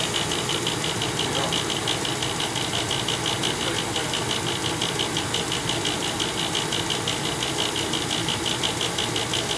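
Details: Old Bryant gas furnace, noisy at night: a loud constant hissing roar with a fast rattle near three per second. The motor up top is suspected of rattling.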